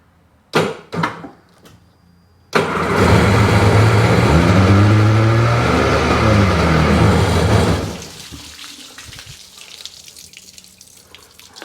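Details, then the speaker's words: 2005 Sea-Doo 3D 787 two-stroke, believed submerged, first start attempt: cranks, catches and roars up unevenly with gurgling, sputtering exhaust, then drops; lots of water and smoke in exhaust, much oil in bottom end. "a lot of water in the exhaust [Music] lot of smoke too oh yeah"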